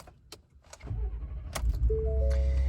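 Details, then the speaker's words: Ford F-150 after upgrade from a 700 to 850 CCA battery, which fixed slow, repeated-attempt starts and non-working auto start-stop: brief crank, engine fires almost at once into steady idle over cabin chimes; normal quick start. "thinking over how it is now versus how it used to be, I can hear it start so much quicker. I didn't realize it was slow before, but now that it has the fresh battery in it, it just kicks on immediately."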